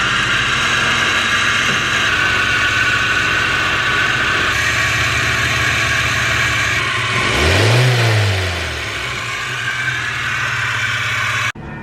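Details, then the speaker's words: Project car after timing gear replacement, idling and revving with a thin, faint squeak. Suspected belt misalignment or bad pulley bearing, possibly water pump; the water pump pulley was found rubbing the timing cover. Not confirmed. "It's either a belt misalignment or a bad pulley bearing. Probably a bad pulley would be my guess."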